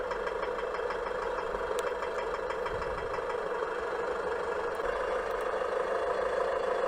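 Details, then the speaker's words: 2011 Chevrolet Orlando 2.0 diesel, just over 50,000 km, hot idle only: sharp, fast, uneven knocking clatter, intermittent for about four years; owner reports injection quantity fluctuates with the noise; cause not stated. "지금 나는 소리네요. 딱딱딱딱딱, 딱딱딱딱딱딱, 이런 소리네요."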